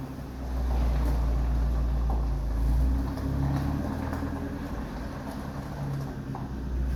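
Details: Bakkie exhaust after fixing a leak at the flange-to-muffler joint, which had no gasket, temporarily sealed with Firegum: deep, even idle rumble with gentle revs, no ticking or puffing, sounding better than before.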